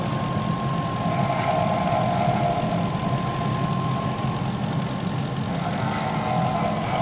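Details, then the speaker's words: 2002 Infiniti Q45 idling after overheating when the idler pulley broke; the idler was replaced and the belt refitted. A steady high whine with a faint irregular rattle comes from the front accessories, which the owner suspects is the water pump. "my water pump the car overheated because the idler arm pulley broke but now the water pump has been making this noise"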